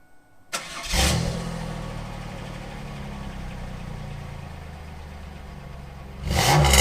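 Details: 1997 Camaro 3.8 V6 (3800 Series II), just fitted with a new Walker Sound FX 18235 muffler: fires with a quick blip, then settles into a smooth, even low rumble with no rattles or leaks. Normal start and idle.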